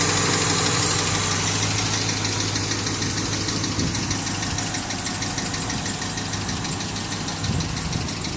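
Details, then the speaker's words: Ford Mustang idling with a faint, fairly regular light tapping of about three beats a second over the hum; the knock is not loud and the owner is unsure of the cause. "It's not really loud, like it's fine, but it's little sound."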